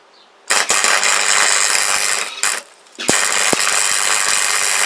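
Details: Freshly repaired MIG welder, wire feed just reconnected and wire speed turned down, welding scrap metal: bursts of steady frying crackle with short pauses between runs, even arc laying a bead normally; repair a success, welder works.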